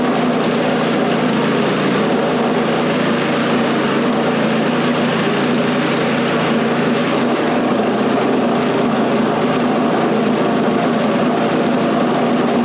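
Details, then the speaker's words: Scrap snowblower's small single-cylinder engine after a new carburetor fit reusing the old throttle shaft and butterfly: a constant smooth drone with no hunting or stumbling; normal running. "Okay, so as you can see, it runs pretty well actually."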